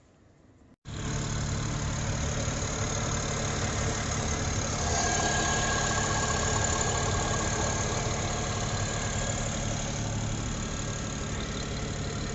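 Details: 2007 BMW 335i (E90 N54), warmed up, after replacing the alternator clutch pulley to cure a warm engine-bay rattle: smooth, even idle with steady low drone and no rattle or ticking; normal idle.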